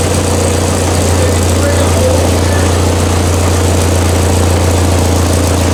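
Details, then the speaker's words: Engine just started, on choke: steady idle with a low rumble and an uneven flutter, first suspected as the just-replaced water pump but traced to a loose engine fan. "There's some noise. Sounds like the water pump. Yeah, we just replaced the water pump. Dude, What? the fan is looser than a goose."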